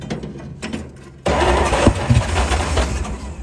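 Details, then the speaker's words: 1938 Dodge truck, sat 50+ years, fed from a gas bottle with some grounding plug wires replaced: a few slow cranks, then catches and settles into a steady, slightly lumpy run while given gas. Engine starts and runs. "There we go. She's gonna run. Just gotta keep giving her gas."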